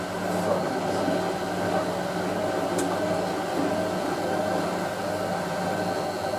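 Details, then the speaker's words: Hotpoint 9530 Electronic 1000 Plus, Programme 4 50°C coloured synthetics, polyester/cotton load: the short spin makes a 500 RPM burst, then a quick burst at 1,000. Even motor hum rises as the drum speeds up, with no knocking; normal spin ramp-up. "But actually the machine does a 500 RPM burst and then a quick burst at 1,000. But you can obviously just enable slow spin will go up to 500 RPM. Basically, just speed up in the spin."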